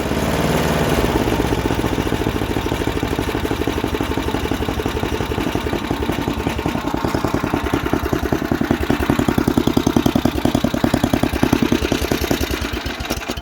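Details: MTD snowblower sat about a year, revived with fresh gas plus cleaner, primed, choked, throttle about half: single-cylinder chugging evenly, steady firing pulses, no misses or surging; runs well, auger works.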